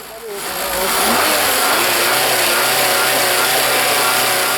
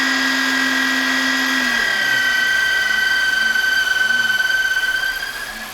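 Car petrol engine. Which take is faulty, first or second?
second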